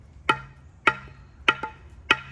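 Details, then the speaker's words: Rehung Russian Zik axe, audio test tapping the head: four crisp ringing taps about 0.6 s apart, no rattle or hollow thud; head hung tight, a loose one would sound more hollow. "It'll kind of if it sounds like that, you're golden. If it's loose, you'll hear it."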